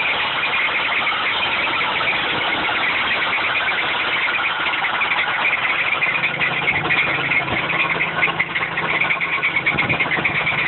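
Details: Supercharged 3800 V6 idling with a harsh, high-pitched rattling grind over the engine from a bad bearing.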